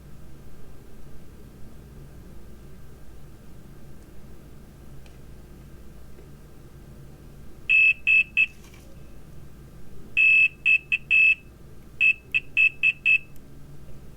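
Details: Multimeter continuity check on the pads of a water-damaged iPhone X logic board during a 1x camera repair. Crisp, high-pitched beeps in short groups sound each time the probes touch, showing good connections.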